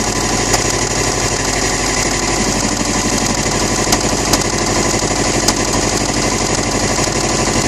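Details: 2008 Subaru STI engine at rough idle with a loud, hard, rhythmic deep knock standing out from the engine noise; rod knock, pointing to a spun or worn rod bearing; engine later rebuilt.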